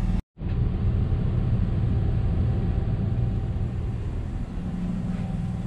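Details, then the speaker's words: Onan 5500W generator in a 2015 Forest River Georgetown motorhome (10K miles), after new carburetor replacement; about two hours into a test run with air conditioners on, constant even drone with no surging or misses, still running perfectly. "it's been right at two hours it sounds like it's still running perfectly"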